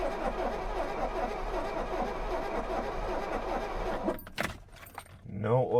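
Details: 1983 Mercedes-Benz 240D W123 diesel, crashed auction car that has sat for years and doesn't run: rhythmic starter cranking for about four seconds, turning over without catching; cranks but does not start, cause unknown.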